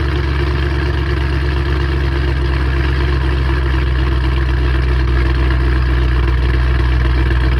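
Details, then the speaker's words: 3-valve V8 idling after a camshaft install on both heads and reassembly: steady, even low rumble with a smooth regular beat and no knocks or ticks; running normally. "I did turn it on just to make sure it turned on and everything, but yeah, it's running."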